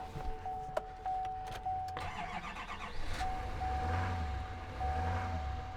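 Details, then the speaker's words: GMC Sierra Denali with Duramax diesel at a dealer auction: dash chimes, a short crank, then a low, soft idle that runs smooth and even with no knocks. Quieter than expected but sounds good. Healthy start and idle. "Not as loud as I would think it would be, but it still sounds good. It's nice."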